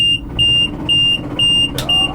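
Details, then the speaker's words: Combine harvester running: repeated clicking about twice a second as the slip clutch slips on the straw walkers, whose wooden bearing blocks swelled in damp winter weather. "God's sake you hear that clicking that's the slip clutch going down on the straw Walkers because the straw Walkers are on wooden blocks"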